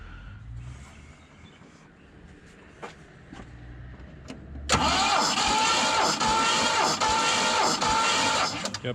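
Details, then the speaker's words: Ford 302 Cleveland V8 in a Jeep cranking during a dry compression test, cylinders reading about 130–150 psi. Slow, laboured cranking at about two compression beats a second with a whirring starter; the starter motor is suspected, not confirmed. "I notice it's winding over very slowly. I don't know much about this build, haven't heard it before, but I wouldn't like my car to wind over so slowly. Sounds like there's a bit of an issue with that starter motor."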